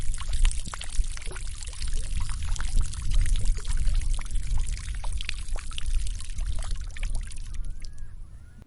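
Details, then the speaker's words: 1980s Honda XR250R dirt bike with a no-start fault, carburetor reassembled and float level being checked: a steady splashing trickle of liquid for several seconds. Fuel is leaking from an unclamped fuel line at the carburetor. "okay so I hope that you got the message from the waterfall and the mayday mayday the engine room is leaking"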